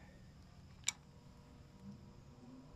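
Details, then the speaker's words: 2018 GE (possibly Haier) air conditioner after rotor realigned with stator (factory misalignment caused startup noise): faint steady fan-motor hum, one small click, no rubbing or rattle, running normally. "Yep. No noise at all. That's perfect. That's how it should sound."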